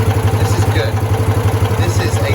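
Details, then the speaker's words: Citroen 2CV after carburettor fix, warm after a drive, choke in: even twin-cylinder idle of about eight beats a second with no misses or stumbles. It returns to about the right idle speed after a slight rev, charging voltage good. Normal. "steady idle and uh with good voltage i rev it slightly obviously charging nicely because that's good it settles back down to idle about the right speed that's good"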